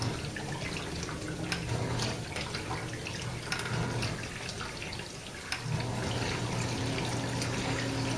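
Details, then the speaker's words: Samsung dishwasher wash cycle after removing a plastic piece from the circulation (wash) pump that caused grinding: steady low pump hum under splashing water, no grinding; sounds normal, though the noise returned about 15 minutes later. "guys that's how it's supposed to sound no grinding noises nothing like that"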